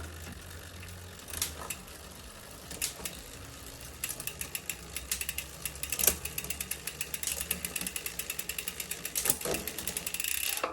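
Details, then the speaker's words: Bicycle rear derailleur after cable tension adjustment; steady freewheel ticking with crisp shift clicks from smallest cog to first gear, no rubbing or chain grind; shifting cleanly. "como vocês podem ver não escutei mais nenhum barulho não precisei fazer mais nenhum Ajuste as marchas Se mudaram todas desde aqui da do cog menor até a marcha a primeira marcha sem nenhum barulho"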